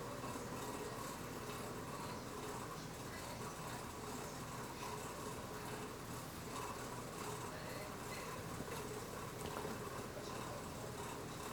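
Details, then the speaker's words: 1986 Casablanca New Orleans ceiling fan at medium speed: steady even whir with faint soft rushing, no knocks or rubbing; this sound is normal for this model. "can hear a bit of that sound which is normal for one of these"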